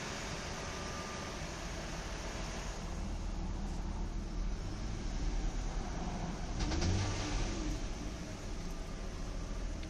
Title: 2003 Nissan 300GT engine knock/slap only when warm around 2k RPM